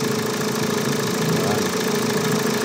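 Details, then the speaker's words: Hyundai Tucson CRDi diesel at idle: loud, busy rattle over the clatter from a worn auto belt tensioner, much louder when the AC compressor engages and loads it; tensioner and belt to be replaced. "So ngayon napakalakas ng ingay. So mamaya pag napalitan natin ah tingnan natin yan. Pagka nag-engage yung aircon ang lakas ano yung tensioner gumaganito."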